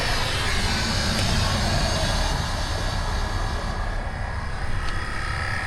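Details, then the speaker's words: Gulf Stream Endura motorhome air pump, newly running after a relay was added, on key cycle: steady dense whirring hum as it builds pressure, working normally. "when I cycle the key on we should hear this thing I hope heck yeah here the air pump we did not have that"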